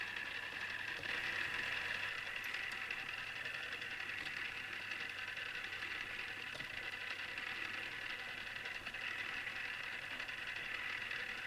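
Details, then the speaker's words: Newly assembled Tamiya Display Turntable Black on its first test spin. A faint, steady high-pitched gear whir with light rough ticking, suggesting noisy plastic drive gears. Owner dislikes the noise and may fix it later. "I must admit I'm not really into the sound made by the gears, but either I'll get used to this or I'll fix it somehow."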